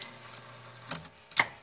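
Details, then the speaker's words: Electrolux washing machine that won't spin: two sharp snaps about half a second apart, drain actuator constantly pulling and releasing; faulty control board. "vocês viram aqui que ela tá puxando e soltando o atuador ela puxa e solta o tempo todo quer dizer se fosse tentar usar assim ela Faria maior confusão ficaria ficaria estralando o tempo todo"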